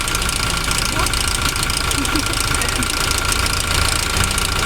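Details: Toyota Revo diesel idling: loose, uneven metallic rattle about twice a second over the clatter, seemingly from the front upper engine; mechanic suspects the timing chain, unconfirmed until disassembly.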